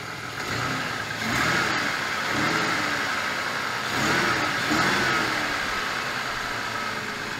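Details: 1996 SN95 Ford Mustang V6 after replacing sensors, spark plugs and plug leads; catches and settles into steady even idle with no knocks, ticks or misses; runs healthy.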